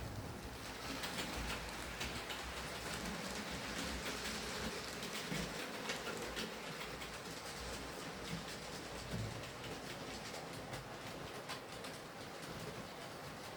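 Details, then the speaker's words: Hornby R2857 Super Detail Black 5 (Class 5MT) model loco after repair of shorting terminals, mangled pickups and drawbar, gears re-greased, running on layout; soft, even whirr with light track rattle, no stutters; smooth and stable. "nice running locomotive in the end though uh it seems to be pretty smooth and stable"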